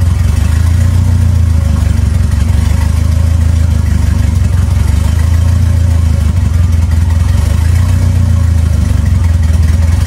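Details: 2.3L turbo four Lima-swapped into Smokey on PIMPX batch-fire engine management, freshly started and warming up for base timing check; even, steady low drone with smooth pulse, no misses or knocks; normal idle.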